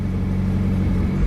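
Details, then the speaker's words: 2016 Mazda MX-5 (ND), 35,700 miles, Copart salvage with blown airbags: short smooth even low idle rumble, no ticks, misses or rattles; no engine warning lights, healthy idle. "like i said fires right up start real quick sounds like what you would expect it to sound like"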